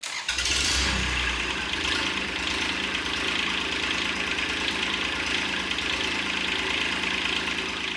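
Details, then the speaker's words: Kubota D722 diesel swapped into a Saturn SC1 coupe, first start after the injector pump lost prime and was re-primed: brief crank, then catches and settles into a steady, slightly clattery idle with no misses; normal start. "Well, it took a bit longer than a moment, and after a few more minutes, the diesel fuel finally reached the injectors. Let's give it one more crank."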